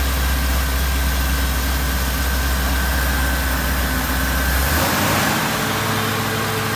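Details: Supercharged Oldsmobile Cutlass V8 after cam swap and re-gasket with new seals: loud steady idle with a lumpy cam rhythm and no knocks or ticks, then the pitch drops and it settles; sounds healthy.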